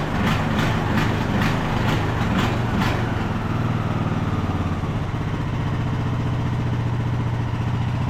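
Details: Craftsman YT3000 riding mower, abandoned about 4–5 years, full throttle with parking brake set; engine speed hunts up and down instead of holding steady; surging, owner suspects main jet not clean enough, plans to reclean carburetor.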